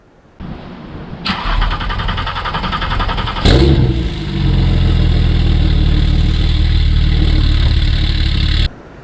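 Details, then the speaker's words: Porsche 911 Turbo 997.2: about three seconds of extended cranking before it catches and idles, from a failing high-pressure fuel pump. The fix is replacing the pump. "if you don't know if your fuel pump is going bad this is what it sounds like you got a long start a long crank before the car will start and it sounds something like this"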